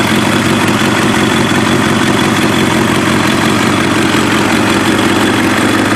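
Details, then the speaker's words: Warm Kawasaki ZX7R race bike on FCR41 flatslide carbs, synced, with fuel screws leaned to 1 turn out; steady, even inline-four idle with no misses, pops or hunting. Cylinders 2 and 3 sync slightly off; normal idle. "But the idle is pretty smooth and consistent. So I'm going to let you guys see it now, okay?"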